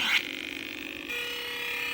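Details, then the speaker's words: Williams Defender Red Label arcade board set on test bench during sound board repair; on reset gives a short burst then flat steady electronic tones instead of the proper start-up boom, traced to a connector plugged in backwards. "another thing I like when I reset the game I don't get the proper sound at boom like I'll just do it"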